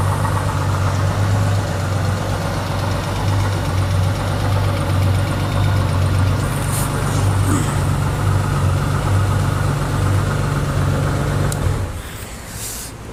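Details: 2019 Honda Gold Wing automatic, six-cylinder, after falling on its right side: steady idle with a faint uneven tapping over the low rumble, noise from the right side; cause unclear.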